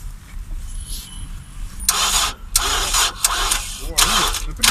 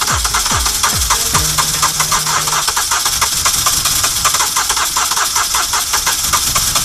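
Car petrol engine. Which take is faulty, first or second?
first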